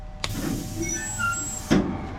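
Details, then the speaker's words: Tailgate actuator after a repair: a smooth, even motor whine runs about a second and a half and stops with one clean clunk as it closes and opens, working exactly as it should. "That's exactly the way it's supposed to work."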